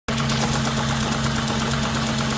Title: S4 b6 cold idle engine knocking